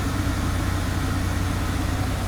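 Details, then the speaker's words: 2001 Buick LeSabre derby car, accident-damaged and low on coolant, on a hot day: it fires right up and idles with a steady even hum and a constant whirr with the A/C running ice cold, no knocks or stumbles. "fires right up no problem not going to let it run for too long it is hot out and it does not have coolant but it does have air conditioning ice cold instantly ice cold"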